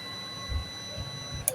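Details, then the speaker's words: 12 V UPS (Oniveesco) with a charging fault, opened up: a thin, steady whine for about a second and a half, then a click and it cuts out; it won't stay on, cause not yet confirmed. "یہ آن ہو کے پھر آف ہو جاتا ہے. پھر دوبارہ میں اس کو آن کرتا ہوں،"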